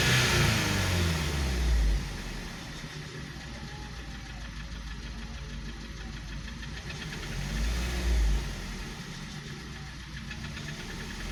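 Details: 2012 VW Passat CC 2.0 TSI (EA888 gen 1, CCT), 189,000 km, cold engine after oil top-up, revving: heavy metallic knock louder with revs, unchanged by oil; piston knock, teardown for rebuild.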